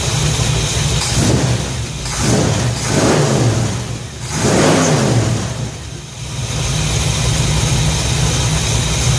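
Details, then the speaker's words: 1966 Ford F100 V8 after Pertronix electronic ignition upgrade and reconnecting coil wire, off a couple of hours, no choke: catches, three clean throttle blips, then even idle without stumble; normal start and idle. "this thing's been off for a couple of hours i think fired up no choke um no longer was finicky uh yeah this is that's better that's better that's way better"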